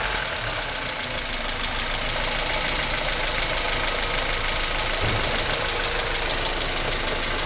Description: Weird noise coming from the top RHS corner of the engine in my 1996 Aus Delivered Honda Civic EK Cxi D16Y4 engine